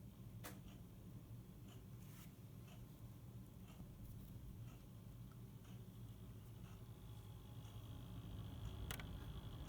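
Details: NZXT Kraken X62 cooler: low fan hum with irregular light ticks and a faint whine between 35–60% fan speed; ticking noise at mid fan speed.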